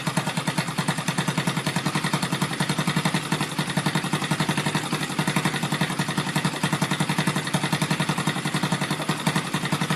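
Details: Rebuilt Yamaha Vega (Crypton) single-cylinder engine with balancer, running on the bench without a frame after a rebored cylinder and a larger carburetor: even idle about four beats per second with a light steady rattle from the upper engine, which the builder attributes to the balancer.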